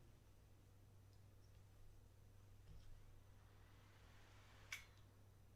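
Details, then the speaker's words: Laptop that shut down and won't stay on after AC power was unplugged for 20+ seconds; battery previously replaced. On power-up a faint fan spin ends in a sharp click and it cuts off. The power adapter is suspected of not supplying power. "I heard fan spin and then a click."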